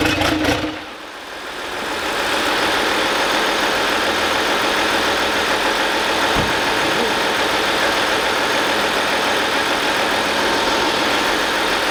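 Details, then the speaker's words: Audi Cabriolet diesel, freshly rebuilt engine, first start after priming oil and fuel and refitting injectors: catches, then settles into a loud, raw, hissy clatter. Unmuffled because the turbo downpipe is not connected to the exhaust line. "c'est normal parce que la descente de turbo n'est pas raccordé à la baisse de la ligne"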